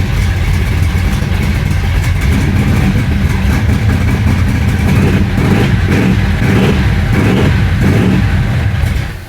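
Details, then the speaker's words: Flooded 1966 Chevy Impala SS V8 after the entire fuel system was replaced: it runs no better, loping unevenly with stumbling beats, then the idle sags and it dies. It is loading up; vacuum leaks are thought unlikely and the cause is unconfirmed. "and then it [Applause] dies and then it dies why why why why it's getting so late I'm not going to be able to run it anymore"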